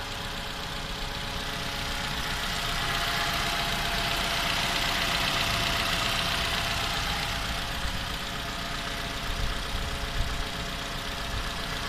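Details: Toyota Camry 2015 with the 2AR engine, 16,500 km, built December 2015, idling cold. Fairly regular tapping at about four per second, an internal engine knock heard when cold and for the first 10 minutes; cause not yet found.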